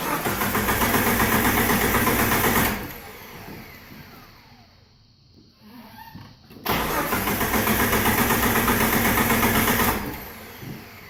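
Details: TJ 4.0 no-start: two long bursts of fast, even starter cranking at about four beats a second with a quiet gap between; the engine never catches.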